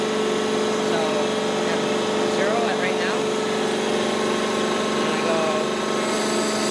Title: Weird noise in a gear pump